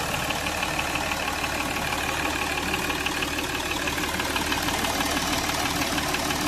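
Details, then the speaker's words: Jaguar XF after repair for a P0301 misfire, restricted performance and an oil leak: steady, even idle with a smooth, unbroken beat and no knock or stumble after a road trial. The light smoke is water on the silencer; the engine runs cleanly. "बाकी car में कोई problem नहीं है। Car एकदम smooth चल रही है।"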